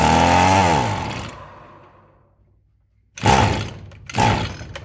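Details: Echo SRM-210 string trimmer, found discarded and sitting unknown time, with deteriorated purge bulb: two short sputtering bursts after a pull, each dying within a second; catches briefly but won't keep running, more fuel to be added.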